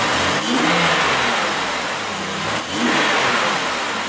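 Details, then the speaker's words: 2007 Chevrolet Impala 3.5L brought in for long crank, misfire, no tach (codes P0118, P0335, P0326), running after work on it: quick throttle blips climb and drop cleanly with no stumble or miss; runs smooth and healthy. "give we a couple little rev UPS I just want to see what it sounds like that's good so it sound sounds pretty dang smooth"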